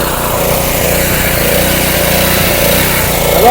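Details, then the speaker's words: Subaru single-cylinder small engine on a pressure washer, running after gas tank leak near the cap and neck was temporarily sealed with Flex Seal; even, steady putter with no misses or knocks. Normal running. "I'll probably end up trying to find me a new gas tank cuz the engine runs great now"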